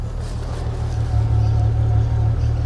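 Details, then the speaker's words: BMW E92 335i N54 with known problem engine, start before washing: low, heavy, unevenly pulsing chuffing idle that stutters into life, likened to a steamboat; rough, misfire-like idle, cause not pinned down. "sounds like a steamboat a steamboat canal boat"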